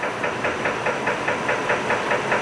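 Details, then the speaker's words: 2006 Chevy Trailblazer 4.2 L at idle after an anti-noise oil additive: dull, even knock about four to five times a second from low in the engine; owner suspects rod knock, lower end rather than upper; additive didn't fix it; unconfirmed. "to do with the Pistons it's a lower end it's a lower end knocking noise it's not it's not an upper end at least not to my knowledge"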